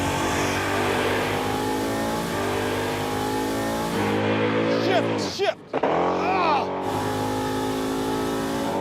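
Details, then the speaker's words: 1969 Chevy Impala with supercharged 498ci big-block V-8, drag strip pass: engine screams at full throttle, then drops out at the 1-2 upshift, which came later than expected so the driver lifted, and stumbles before pulling in second; ran 11.25; cause unknown. "What happened there? I lifted because I thought it wasn't shifting, and then it shifted. It takes longer to shift than I anticipated."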